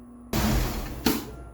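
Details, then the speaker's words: LS4 engine in a Chevrolet Impala with PCV hooked up in the traditional way: right after shutoff, a sudden rushing hiss under a second ending in a puff as excess crankcase pressure vents out the front valve-cover port into the intake tube. "Now, what I've confirmed is that that is actually excess uh crankcase pressure escaping out of the vent port out of that front facing valve cover that feeds back into the intake tube."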